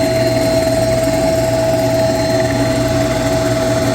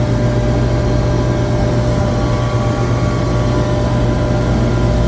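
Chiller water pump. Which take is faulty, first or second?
first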